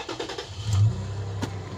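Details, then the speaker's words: 2007 Toyota FJ Cruiser V6 that cranked but would not start after a battery replacement; after swapping in a new voltage regulator IC it starts with a short crank and settles into a steady, even hum. Normal start after repair. "yep start right up solid"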